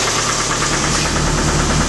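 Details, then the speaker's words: Suzuki Samurai engine reassembled with oil pump running, about 5 minutes warm: loud steady idle with a fast, even knock every turn; unsure if valves or in the block, owner fears a rod knock; oil light not on. "wishful thinking but it's still knocking I don't know if it's it sounds like valves but but it's it's a knock it might be in the in the block"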